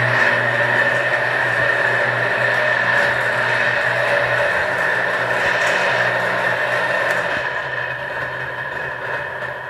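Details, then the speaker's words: Dancor 16 HP lift water pump motor running: harsh rough whirring and piercing high whine, "infernal" noise from worn bearings, fixed by replacing bearings. "Olá pessoal vocês estão vendo como ela faz barulho"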